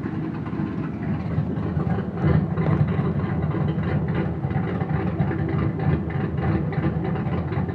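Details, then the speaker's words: Boosted Ford Fox-body Mustang, walk-around at running engine: a fast puffing tick under the low rumble that rises with each throttle blip. Slight exhaust leak. "a little walk around of the boosted Mustang. Slight exhaust leak."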